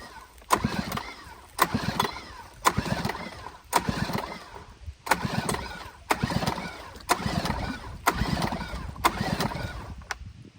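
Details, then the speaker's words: 1990s Honda 2 hp four-stroke outboard found at a landfill, throttle wide open, compression tester fitted; repeated pull-cord cranks about one a second, even compression strokes, no firing; just under 100 compression, acceptable for this motor; normal cranking compression. "Okay, so we're sitting at just shy of 100, which, to be honest, should be okay for this motor. I mean, ideally we see a little bit more than that, but that's still good for a 4-stroke."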